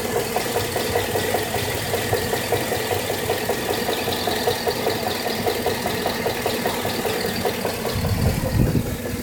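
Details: 2013 GMC SLE 4x4 5.3L V8 at 1800 miles, idling: uneven light knocking about two to three a second from passenger side of engine; cause unknown.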